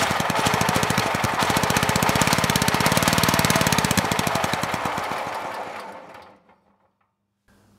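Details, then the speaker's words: Generac GP5500 generator engine, previously seized then freed, run by the airbox: rapid hard uneven pulsing about four beats a second that fades and dies, exhaust puffing back out the carburetor with soot behind the air filter; suspected valve trouble from ground-down cam lobes. "didn't get any Flames that time but I did see a bunch of exhaust coming out of the carburetor and that is not normal that should not be happening so I would say we do have valve issues"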